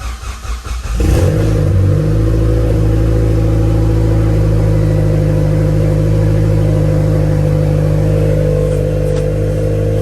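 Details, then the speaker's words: Mitsubishi Lancer Evolution X just after serpentine belt installation, battery reconnected: catches quickly and runs smooth and even with no whine or squeal through a light rev, no battery light; charging side healthy. "all right no battery light i don't hear no whining so"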